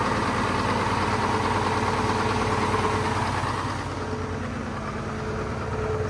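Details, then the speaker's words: Old Mack two-stroke diesel truck at auction, idling as it warmed up and the choke came off: steady, throaty, even idle at about three pulses a second with no knock; sounds healthy. "Sounds good, but smells even better. Uh-oh. I guess it finally warmed up. The choke came off."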